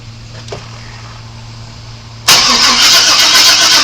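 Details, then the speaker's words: 1997 Chevy Suburban that sat broken for years, cranking after a timing adjustment and fuel pump re-prime: the starter churns steadily at about four beats per second but the engine never catches. Fuel smell is present and spark is not yet checked. "no it doesn't seem like it's trying to do anything I don't even know I can smell gas tells me it should be doing"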